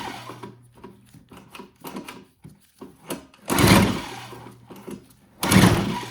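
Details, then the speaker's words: Old Toro CCR Powerlite snowthrower on full choke, primed three times: two hard recoil pulls whir and die away with no firing; it ran only on starting fluid because the carburetor needle was installed upside down on the float, so no fuel reached the bowl. "Since she doesn't want to start, what we're going to do is we're going to spray a little primer down in there or some starter and see if we can get it to start."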